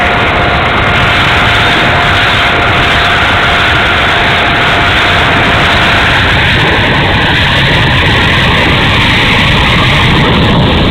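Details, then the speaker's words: E-flite A-10 Thunderbolt II twin 64mm ducted fan, bad motor, run gently: loud steady high rushing whir with rough gritty edge throughout; motor sounds terrible, running noisily, cause unknown. "That motor sounds like a bag of shit."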